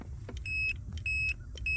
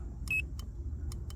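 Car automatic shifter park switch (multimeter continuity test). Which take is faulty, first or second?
second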